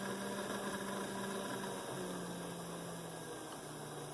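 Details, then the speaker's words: Athearn blue box SD45/GP35 model locomotive motor, tested after polishing the flywheels, direction reversed: a smooth, steady hum with no squeak or chatter. Properly lubricated, normal running. "i do not hear the lack of lubrication sound which is a good"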